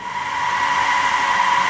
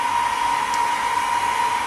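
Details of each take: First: DIY solar-powered fan bar (three 2-inch fans) on an inverter, after about a week of operation. Steady, loud, airy roar. Owner guesses the center fan is fighting the two outer fans for air, a design defect. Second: DIY solar-powered cooling fan bar (three 2-inch fans, LM78H12K 12 V regulator, aluminum tube) running on top of a solar inverter. Smooth, even, steady single-pitch whir with no rattle: working as intended.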